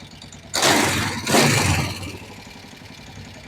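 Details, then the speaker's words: Kawasaki Vulcan 500 twin after valve adjustment and carburetor synchronization: starter catches, two quick revs, then settles to a steady even idle; running properly. "Bueno pues ya tenemos la moto toda montada y lista ya de válvula de sincronización de carburadores y demás ya la verdad que funciona"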